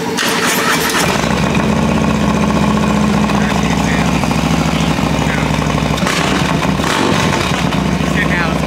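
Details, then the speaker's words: Built 131 cubic-inch Harley Road Glide, first start-up, new and not yet broken in, idling in neutral. It fires within a second into a deep, loud, lumpy V-twin idle that holds steady and even: a healthy start-up and idle. "huh yeah that [ __ ] sounds [ __ ] amazing bro yeah big time"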